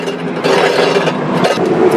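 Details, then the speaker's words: Ridgid table saw motor removed after the saw got noisy and quit; armature turned by hand gives rough, gritty scraping with uneven drag, armature falls out loosely; armature bearing is gone and needs replacing. "okay now I've got the motor off and uh yeah doesn't sound good at all and this should not fall out like that but there it is the bearing's gone"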